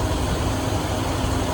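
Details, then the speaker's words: Truck with added electric fan and upgraded Chevy alternator: low, even idle rumble with no knocks or misses and steady fan rush over it; engine idling smoothly and healthy. "Running like an old clock, bro. Wouldn't be for that electric fan that I put on it, you wouldn't even hear it run."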